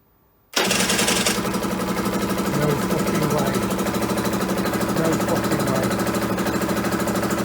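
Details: Aprilia two-stroke, cold start on non-ethanol fuel: catches instantly and settles into brisk steady idle, even firing, no stumbling.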